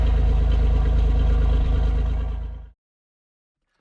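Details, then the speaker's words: 1991 Oldsmobile Ninety-Eight Touring Sedan, 3.8 GM V6, running after a no-start from repeatedly blown 20 amp fuel pump fuse; steady even low rumble with no misses or knocks before shutdown; normal idle. "that's a 3.8 GM motor my grandma used to have a Pontiac Grand Prix exactly the same"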